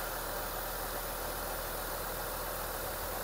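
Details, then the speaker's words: Mitsubishi Lancer GSR 4G92 engine, rebuilt last week, with a new bypass tube, restarted to check for O-ring leaks; runs quietly, with a smooth unbroken idle, steady hum, no knocking or misfire: normal idle. "Makakalik start yung makina ni Bossing. Tahimik na yung andar."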